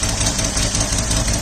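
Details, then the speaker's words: 1979 Opel Monza series 1 barn find, six-cylinder idling lumpy and uneven on five cylinders; pulling the number 6 injector plug changes nothing, and a noid light test later points to a faulty number 6 injector. "Obviously it's still misfiring a 1 cylinder. So we'll pull number 6 next and we'll see what happens."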